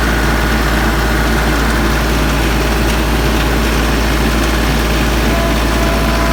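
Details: Branson 3520H diesel tractor after valve adjustment (valve cover pulled; dealer suspected rockers or valve hitting piston): steady, even idle with low smooth beat, earlier tapping/knocking gone, declared fixed.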